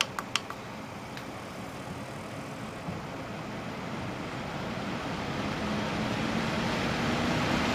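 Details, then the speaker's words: Corsair H100 liquid CPU cooler fans switched from low back up to maximum; smooth airy whoosh climbs steadily over several seconds with no rattle or ticking, a fair bit louder than low; normal fan noise at full speed. "There's a fair bit of difference there. Back off again."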